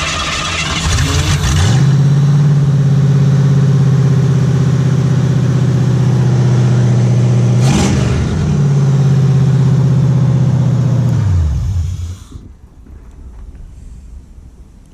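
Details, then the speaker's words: 1959 Ford Ranch Wagon (Ectomobile) engine from three demolition derby cars, first start via derby control switch panel after fuel pump priming: catches, settles into steady low hum, dips and recovers, shuts off; runs cleanly, normal start and rev. "okay it runs there"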